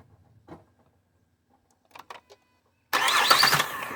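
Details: 2008 Ford Fusion: after quiet handling noises the engine catches at once and settles into an even run, a clean normal start.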